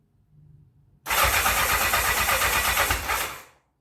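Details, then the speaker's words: 1984 Honda CB700SC Nighthawk, before carb cleaning, old-smelling gas: starter churns about two and a half seconds in quick even pulses, never catches after two tries; crank no start. "okay so um there you saw it I tried twice it will not start so that's where we're starting from"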